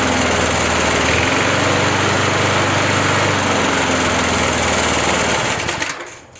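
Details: 37-year-old Montgomery Ward mower, Briggs & Stratton 3.0 hp 92502 Vacu-Jet carb, after choke diaphragm replacement for hard hot starting, run hot in over 100°F heat: steady, even buzz, no surging or misfires, winds down smoothly at shutoff.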